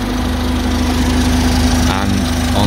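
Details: 2014 Ford Transit Courier, engine idling with A/C running after fixing intermittent warm-air fault, high side about 200 psi, low about 25 psi: even idle with steady fan hum, no squeal, rattle or cycling; normal A/C operation.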